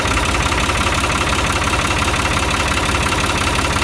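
Steady idle with a fast, fairly even knock of about three beats per second over the engine drone; the knock's source can't be pinned down.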